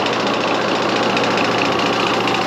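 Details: York AC condenser fan motor with up-and-down shaft play that tightening the mounting screws did not cure: steady hum with a rough, gritty rush and no speed change. Bearing suspected; the motor was replaced. Noisy fan motor.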